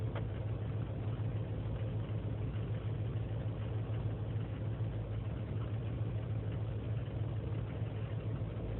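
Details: 2003 GMC Sierra Z71 5.3L V8 (non-flex fuel) idling on its own after overnight in single-digit cold: low lumpy stumbling rumble; lean and misfire codes, owner suspects failing intake gasket; smooth once warmed up.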